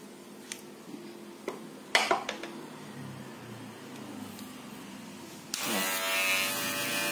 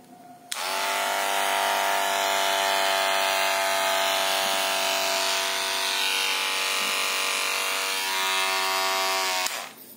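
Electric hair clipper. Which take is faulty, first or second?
second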